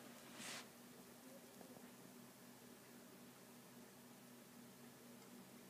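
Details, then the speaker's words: Gainward GTX 560 Ti graphics card fan in a Core i5 PC running Dirt 3, spun up under load; soft even airy whoosh with faint low hum, no rattles or ticking; normal, not tiring fan noise. "единственное практически игрушка которая разгоняет вентилятор видеокарты до уровня когда я его слышу но этот шум не утомительный"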